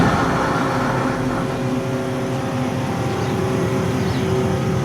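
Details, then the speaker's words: Hopped-up Ford flathead V8, estimated around 200 hp, with 5-speed, 12-volt wiring, electric fuel pump and dual exhaust, idling after a service with new belts, plugs and carbon gaskets: steady, even low rumble, no knocks or misses, purring like a kitten. "I think this engine's probably around, I don't know, 200 horse. Listen to that. Just purring like a kitten."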